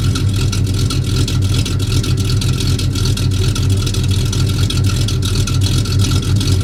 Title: Got the F-250 running again, just one more exhaust leak to fix.